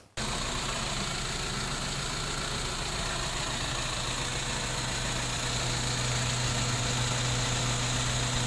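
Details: BMW E90 320i N46 petrol at idle in the workshop, codes P0300, P0301 cylinder 1 misfire and P0134 O2 sensor. Uneven lumpy idle from a single-cylinder misfire; also hesitates accelerating from standstill.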